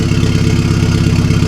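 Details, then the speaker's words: 2009 VW MKV GTI 2.0T TSI, fully straight-piped with a 3" Billy Boat downpipe and no muffler or resonator. Loud, lumpy cold idle with uneven pulses and stumbles in the beat. Cold-start misfires, still unfixed after the PCB. "It sounds horrible, dude. It's all the misfires. Dude, it's gonna sound bad like that."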